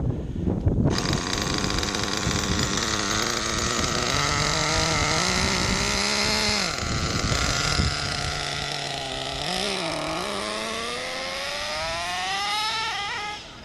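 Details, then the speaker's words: Redcat Earthquake 3.5 nitro monster truck on factory needle settings, engine head not yet warm: revving and bogging with a blubbery, uneven note, won't idle and dies without throttle; needles extremely rich. "e settings are just extremely rich the thing doesn't idle well it turns off without giving it some throttle"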